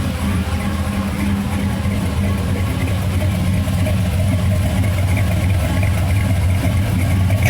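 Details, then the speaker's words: '94 Chevy Silverado with a swapped 400 cubic inch V8 and TPI; temperature and oil pressure good, suspected gear drive. Deep lumpy idle with a loose, uneven low thud under it. Rhythmic clunk at idle, source unconfirmed. "Got a little dunky dunk to it. Got a little dunky dunk. Whole thing runs good."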